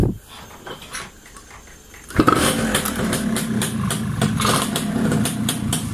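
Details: Yamaha Y100 two-stroke after fitting an Uma Racing coil and plug and servicing the silencer: quiet, then it catches and settles into a crackly ring-ding idle of about three to four pops a second, running steadily. Normal idle.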